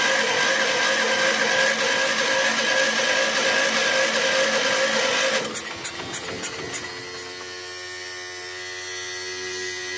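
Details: 1981 Allis-Chalmers 912 Hydro tractor, Kohler K301 engine, after new generic carburetor, rebuilt fuel pump and ignition work: steady electric starter whir about five seconds with no firing; cranks but won't start, though fuel now reaches the carb bowl.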